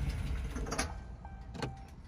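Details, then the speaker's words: 2019 Ram 2500 6.4 Hemi, 24,000 miles, oil low, thick and brown, apparently never changed: heavy, lumpy low knocking under a rough, stumbling, diesel-like idle; dies unless throttled; suspected rod or bearing knock, severe internal failure. "it's getting bad it's the point now where the truck is dying and not wanting to start unless you're giving it throttle it's bad guys definitely at this point it's gonna be going to the dealer it sounds like a diesel listen to it"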